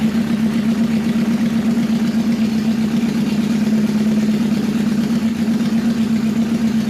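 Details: 1977 CB750 custom bobber idling during carburetor synchronization, very loud. Steady, even low hum with a slight unevenness: the carbs are a little out of balance, with one cylinder pulling high.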